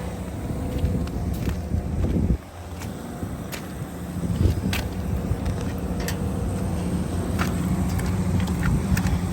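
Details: Heatcraft fan after replacing a failed-bearing motor with a multivolt three-phase motor. Steady low hum settles in after start-up with no grinding or bearing rumble; the fan motor runs smooth and even.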